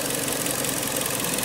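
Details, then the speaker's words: Kia Sportage 3 with G4KD 2.0 petrol engine that had a cold-start knock, after repair and reassembly: steady even idle, smooth hum, no knocking or tapping. "все тихо-спокойно человек этому будет быть доволен"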